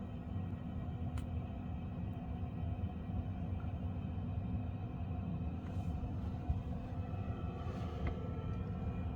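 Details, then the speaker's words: Second-hand Eberspächer D2 Airtronic diesel heater in a campervan after the startup phase, current down to 1.5 amps and glow plug off: steady low whir of the fan turning over nicely, no surging, warm air coming out; running normally. "see the amps have now dropped down to 1.5 and I can just hear the fan turning over nicely"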